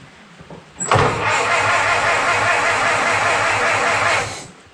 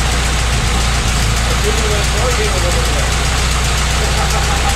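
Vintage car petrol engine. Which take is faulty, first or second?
first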